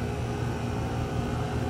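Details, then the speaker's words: 2018 Goodman GSZ14 2-ton heat pump outdoor unit: condenser fan gives a steady low whoosh and hum with no compressor drone underneath; suction line at no temperature; compressor not running, only the fan, cause unknown. "But yeah, it's only the fan. See, no compressor. Um, this is two-tonon GSC14 from 2018. And yep, suction line is not any temperature"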